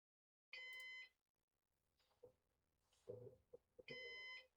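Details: Used Synology DS418 NAS during first setup, DSM install stage: two long shrill electronic beeps about three seconds apart in a quiet room, a "heart monitor" warning.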